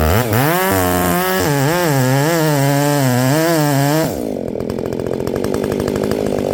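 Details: Ported Echo 670 chainsaw, first time cutting wood after porting, tune only roughly set: crisp, free revving, then a steady, even pull down into the wood. Normal running under load.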